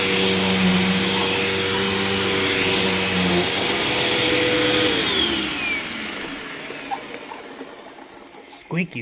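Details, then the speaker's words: Old vacuum that spews dust everywhere: steady high whistle over motor roar, falling away at spin-down; owner suspected the brush roll going out, but after it sat it seemed okay; unconfirmed. "squeaky squeaky squeaky I think the brush roll on this is starting to go out too"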